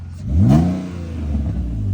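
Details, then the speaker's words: BMW E46 wagon: one quick throttle blip rising and falling cleanly, deep even exhaust note with no ticking or puffing leak; exhaust sounds healthy. "Give it another one. Give it a good one. Hell yeah. It sounds good. It sounds good."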